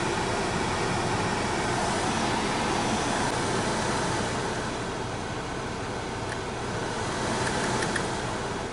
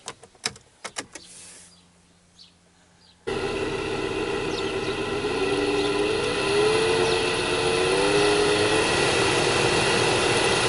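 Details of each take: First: 2002 Opel Vectra C heater blower after motor repair and riveting, on first speed: steady, even fan rush, much quieter, with a slight remaining sound probably from brushes not yet bedded to the commutator; normal blower run. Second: 2002 Opel Vectra C heater blower motor running loudly: after a click the fan settles into a steady droning, rumbling hum with a slight wavering note; noisy blower motor, to be removed from behind the glovebox.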